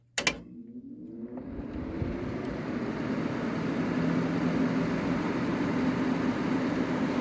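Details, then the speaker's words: 1985 WCI 5K window air conditioner. A compressor thump at start, then an even, low hum and steadily building airflow; quiet on low fan; normal fan running. "There's high fan. It's actually pretty powerful. It actually makes some noise on high fan, which is kind of unusual for these units."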